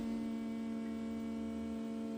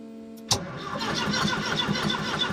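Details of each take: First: Ford ST170 engine swapped into a Mk1 Escort, ME221 ECU with base map loaded, throttle position sensor unplugged and set to 0%: steady even hum of the fuel pump priming before the first start attempt; normal. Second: Ford ST170 engine in a Mk1 Escort on an ME221 ECU with base map, throttle position sensor unplugged, fuel pump running; steady uneven chug about 1.5 beats a second, cranks but won't start; owner suspects cam/crank sensor synchronisation.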